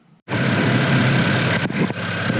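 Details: BMW 335i N54 after replacing three pulleys and serpentine belt (previous ticking from a faulty pulley), running without radiator fan: catches instantly and settles into a smooth, even idle with no squeal, chirp or rattle.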